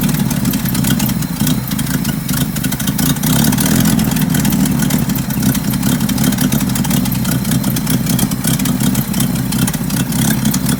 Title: 1975 Bedford CJ running with a nasty exhaust leak